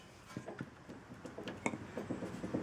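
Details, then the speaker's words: 2001 Ford Escape inner tie rod, rocked in and out by hand: light irregular clunks and clicks in a quiet shop. The inner tie rod joint is worn and loose and is to be replaced. "you can hear how loose it is so we'll definitely be replacing that"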